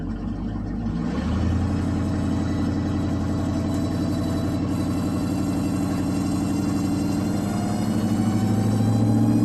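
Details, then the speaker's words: 2002 Ford Ranger swapped from its 3.0 V6 5-speed to a 351W V8 with automatic transmission, carbureted with choke, just started: rough idle with a supercharger-like whine from the transmission. Owner says the transmission is toast; timing is likely still a bit out and the carb needs adjusting. "she's got the supercharger whine in the transmission. It's supposed to come from the motor."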